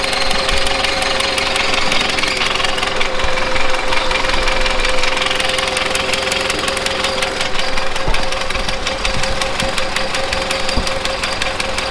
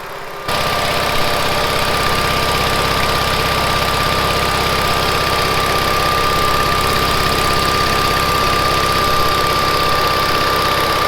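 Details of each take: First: 1970s Bolens QT16 tractor that had been sitting a long while, running at half choke after a gravity-fed fuel line reconnection: uneven, lumpy firing with stumbles. Rough running; the carburetor needs cleaning out. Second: 1970s Bolens QT16 hydrostatic tractor, long unused, now running after gravity-feeding fuel to the carburetor. Steady, even idle with a constant hum and a faint high whine from the hydro drive, no misses or knocks; engine running normally.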